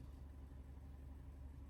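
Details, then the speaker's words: 2013 Fiat 500 1.2 MPI petrol (169.A4.000) at idle with engine light on, car shaking, popping at exhaust: low, lumpy idle lacking an even beat; codes P0301 cylinder 1 misfire, P0300 random misfire, P0136 lambda sensor fault. "Let's start the car. When I start the car, immediately I feel car little bit shaking. And when I go to the exhaust, can hear like a popping sound."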